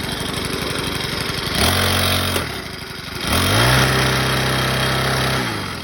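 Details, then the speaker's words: Craftsman 29cc 4-cycle wheeled edger after a new fuel line, tank clean-out of 2-cycle mix, fresh oil and fresh gas: it catches, settles to a steady idle, then revs smooth and even. Normal running. "Apparently all I needed was some fuel lines and tank clean out and stuff, and some good fuel."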